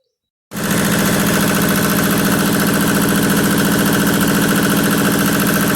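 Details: Yanmar diesel tractor after fitting a newly built fan assembly with new bearings and pulley: catches at once and settles into a steady, even diesel clatter at idle, no squeal or rattle from the fan; healthy.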